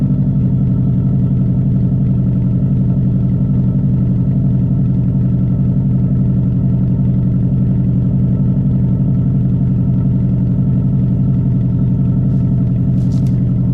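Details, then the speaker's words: 2002 Subaru WRX with straight pipe at idle, injector just plugged back in: a loud lumpy burble with occasional stumbles. Slight intermittent misfire and still running rich; a plug still needs to go on, and a tune may be needed. "'m gonna plug this injector back in and it probably will still slightly misfire here and there but oh well"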